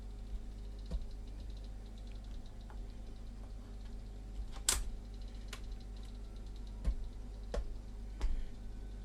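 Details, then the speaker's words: Pye 9123 late-1960s reel-to-reel recorder with no speaker output but working line outputs: playback turns to distorted music, then only a low hum with scattered pops and crackles as sound drops out; cause not yet confirmed. "no I don't think he can really hear it now but he might have just heard a few pots and crackles"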